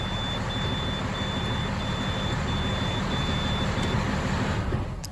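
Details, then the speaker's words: International DT466 diesel after no-start, oil pump replaced, packed with grease, and new oil filter: starts after a few cranks and runs with a steady, even rumble, no knocks, misses or rattles; normal running. "I just turned it a couple times it almost fired and now reach it alive"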